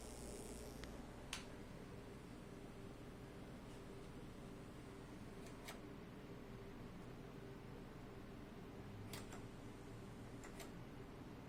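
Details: Vintage Mitsubishi DA-C20 preamp: intermittent low steady mains-type buzz with faint tone and soft clicks; stops when speaker outputs are disabled, unplugging the source does not stop it, then it just stops.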